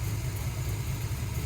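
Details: 1991 Chevrolet S-10 with a small-block Chevy and high-performance cam on a Holley carb, initial timing advanced to 42 degrees with the distributor locked out: deep, even, slightly lumpy idle with no misses or stumbles; normal idle.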